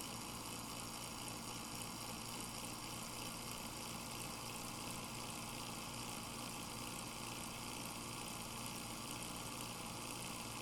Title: a seriously bad fan bearing.